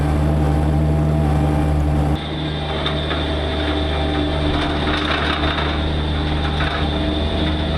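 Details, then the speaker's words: Bobcat MT85 mini skid-steer under load during a particular turn: engine drone under a steady high-pitched squeal that does not occur with an empty bucket. The belt looks fine and tight; the owner suspects the tensioner. "Alright, so that awful squeaking happens only under a load. It doesn't happen when the bucket's empty."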